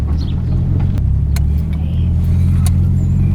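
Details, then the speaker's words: Nissan 180SX road test after swapping differential to cure whine: deep steady drive rumble under load, no whine rising with speed; rear diff now quiet and healthy. "Right. No noise. Noise is gone. Can't hear anything, no whine at all."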